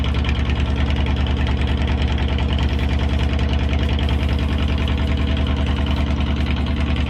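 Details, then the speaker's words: Kawasaki VN2000 V-twin (almost 2100cc) idling cold after sitting a couple of months in very cold weather: deep even thumping idle at roughly 200 pulses a minute, steady and smooth with no knocks; sounds good. "Sounds freaking good, dude. Finally. Sounds good. Dude, it's so cold."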